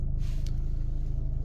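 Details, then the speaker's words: Mini Cooper diesel at idle after about 40 minutes of highway driving at 4000 rpm in 4th gear at 90 km/h to clear a clogged DPF/catalyst; warning light off, temperature not rising; steady even low rumble, stable idle, normal. "Le bruit, il y a une différence. Je trouve sûrement il a fait quelque chose. Là, le ralenti est stable."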